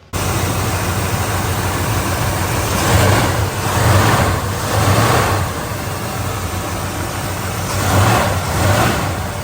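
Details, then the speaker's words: 1967 Plymouth Belvedere V8 after fitting a power steering relocation bracket and a roughly 43–44 inch belt, tensioned good and tight, not too tight: steady even hum, no squeal or chirp; belts quiet, though a line now leaks. "So that's on, and it's good and tight, not too tight, so there's no noise."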